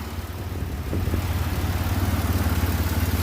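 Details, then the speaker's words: 2006 Grand Prix 3.8L V6 at idle after head gasket replacement: low, even pulsing about 214 beats a minute, steady with no misfire or rocking. It rocked and seemed to misfire before; the old gasket was possibly blown. "Engine sounds good. It's running nice."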